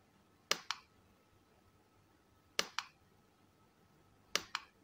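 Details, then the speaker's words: Godox Mini K-150 studio flash after repair of a no-firing, power-drop fault, tested at full power: three crisp double clicks about two seconds apart over a faint steady charging whine, firing cleanly and normally. "Ya udah normal Alhamdulillah Ya itu dia teman-teman Lampunya udah normal kita coba di power tertinggi ya teman-teman ya kita full kita full teman-teman dengarkan suaranya Mantap ya"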